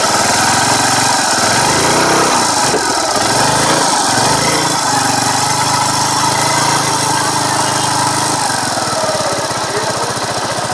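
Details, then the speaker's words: TVS Sport single-cylinder bike running after magnet coil replacement, noise started since the change: harsh gritty rattle over the exhaust beat at steady speed, owner suspects it comes from the magnet coil side; abnormal engine noise, source unconfirmed. "तो सबसे पहले मैं आपको engine की आवाज़ सुनाता हूं कैसा आवाज़ है चलिए देखते हैं इस वीडियो में और ये आवाज़ सही कैसे होगी जहां तक मुझे पता है की आवाज़ मैग्नेट कोयल के साइड से ही ए रहा है"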